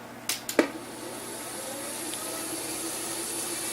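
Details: SPARCStation 20 at power-on self tests: clicks at switch-on, then steady loud whirring hiss with faint level whine from a dying cooling fan, to be replaced.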